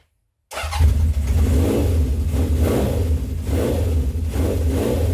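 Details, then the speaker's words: 1970 Honda CB750 K0 four-cylinder, first run after decades unused, just started: deep note catches and holds, revs blipped about once a second, still slightly uneven; runner now but needs more fettling. "We seem to have a runner now. It'll need a bit of fettling still."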